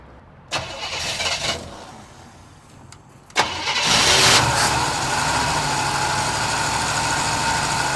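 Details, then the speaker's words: Barn-find 1972 Chevelle after Rochester 2-jet carburetor rebuild, pedal pumped then cranked; catches into a ragged, uneven idle with hissy air noise, rough running from one forgotten disconnected vacuum hose. "We forgot one vacuum hose. We did? Yeah, that's why it wasn't running very good."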